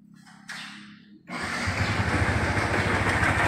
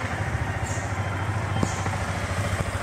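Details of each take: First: 2019 Yamaha Vixion R during a major service: starts, then idles with a harsh, diesel-like clatter ticking about three to four times a second; teardown found a destroyed camshaft bearing. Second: 2019 Yamaha Vixion R after major service replacing the failed camshaft bearing (6906) that made the engine sound rough: steady, even idle putter with no ticking or knocking; engine now normal.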